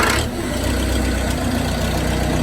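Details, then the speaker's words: Case 580B backhoe starting after sitting idle all winter, cold; hard starter given starting help, glow plugs believed not working; rough catch, then gravelly diesel idle settles in. "So this old girl does not like to start. So she's gonna get a little help."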